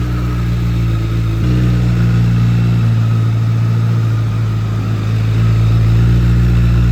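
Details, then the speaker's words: 2008 Honda CBR1000RR, first start after purchase: fires right up into strong, even low drone with idle fluctuating a bit high; smooth, no mechanical noises from the motor. "wow this thing sounds like a [ __ ] dream man smooth there's no sounds for coming from the motors thing [ __ ] fires right up and the exhaust sounds absolutely gnarly"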